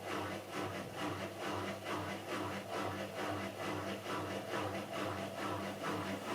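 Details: Miele Softtronic W6544 washing machine, drum loose and noisy (bearing damage questioned): regular heavy knock a little over twice a second in step with the turning drum over motor hum; broken drum spider (Trommelkreuz) lets the drum wobble.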